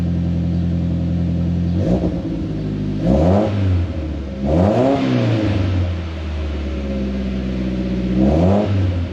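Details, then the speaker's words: 2011 Mitsubishi Lancer Ralliart parts car, 63,000 miles, no reverse but motor said very healthy: steady, even idle with three clean throttle blips rising and falling smoothly, no knocks or misses; normal start and revving. "But other than that, I mean, the motor's very healthy. Actually, how about this? I'll start it up for you guys."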